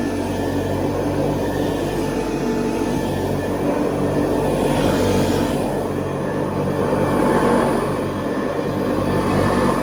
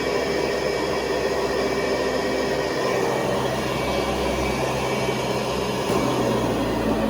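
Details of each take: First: 1970s Hoover Convertible upright vacuum on carpet, re-greased: steady motor drone with rough, slightly uneven rumble from the brush roll, which gets a little out of balance; belt not overheating, spins freely; mild brush noise. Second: 1970s Hoover Convertible vacuum, about 50 years old, motor on high speed (400 to 625 watts): even hissing air rush with steady motor tone, no rattles or dips; healthy, moderate suction.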